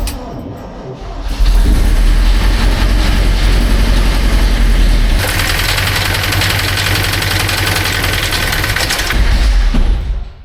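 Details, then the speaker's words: 1966 GMC truck engine with a deep, loose knock at roughly 220 a minute under a rough low running note; not lifters but sounds like a loose bit on the crank, probably a disconnected connecting rod, needs a rebuild. "that's nothing to do with lifters. I mean, it sort of sounds like it, but it has that sound of a loose bit on the crank just flying around in there."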